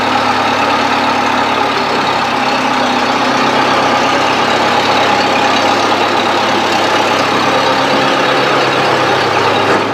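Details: 1970s Bobcat 610 skid steer: even, steady idle with constant pitch and no knocking or misfire; normal healthy idle.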